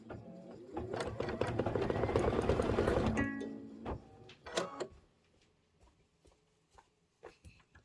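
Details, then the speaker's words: Embroidery machine doing decorative stitching on a Kimberbell Soft Serve block: quick even hollow needle clatter for about three seconds then stops, the empty sound of stitching with no thread. "I could actually hear that. You know how you can hear it when there's no thread in it?"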